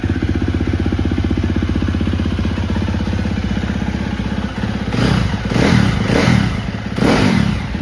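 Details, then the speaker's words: 2017 Husqvarna FC 350 with 126.5 hours and Rekluse clutch, started cold: four-stroke settles into steady even thumping idle, then quick throttle blips; runs clean and healthy. "And I will start it up here. It's cold. Okay."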